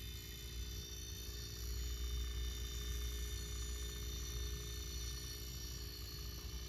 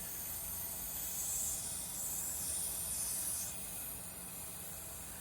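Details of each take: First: Robinair refrigerant recovery machine compressor running with fans off during recovery, about 10 psi tank and 40 psi low side: low steady hum with faint even pulse, no rattles or knocks; compressing normally. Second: Robinair refrigerant recovery machine under diagnosis: as a tight hose fitting is loosened, a steady high hiss swells then eases, leftover freon escaping that the compressor was unable to pull out.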